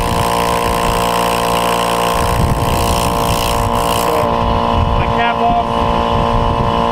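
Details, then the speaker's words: Roadside-found Porter-Cable air compressor, outlet capped, before repair; steady even drone with smooth pump throb and no knocking, pump runs normally and builds pressure though pressure safety switch doesn't work. "We're going to let it run for a minute just to show you that it does build up some pressure."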